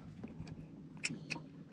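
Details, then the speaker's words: Outboard trim/tilt unit, engine trimmed up, power confirmed: sharp solenoid clicks under the cowling with each switch press but no motor whir; trim motor dead, connections possible but motor failure suspected, motor being replaced. "you can hear the solenoid clicking under the cowling but no motor so we've got power powder solenoid but nothing happening at the motor end"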